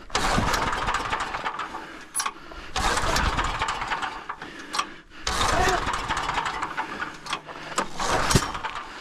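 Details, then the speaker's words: Generator small engine with faulty pull start, possibly carburetor suspected: several pulls with sputtering bursts dying back before it catches and runs unevenly; hard starting, later smells too hot, air filter cleaned. "Yeah, it doesn't even want to go. The pull start is [ __ ] up. Maybe it's a uh carburetor."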